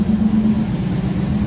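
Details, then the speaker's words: 1991 GMC truck after fuel filter replacement, started without giving gas: short smooth steady V8 idle, low hum, no misses, knocks or stumbles; purring well. "It's running. I didn't give it gas or anything, I just cranked it right up. It's purring pretty good."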